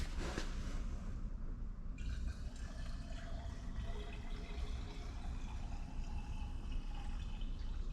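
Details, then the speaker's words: 2004 GMC C4500 Kodiak, LLY Duramax, engine off after refilling with water: a steady trickle and splash under the truck as coolant pours down the back of the block. Said to need an engine. "Yep, you can hear it down there. And we can see up there, it's running right down the back of the block here."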